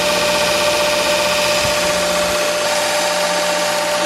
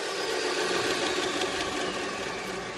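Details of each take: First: Brand-new Jet 2x42 belt sander just unboxed (a replacement unit): steady motor whine with a regular thrum, then spin-down. The sanding disc visibly wobbles, so the disc is warped. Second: Jet 2x42 belt sander, after replacing a warped drive disk, spins with a steady, even whir and no wobble, thump or rubbing; normal running.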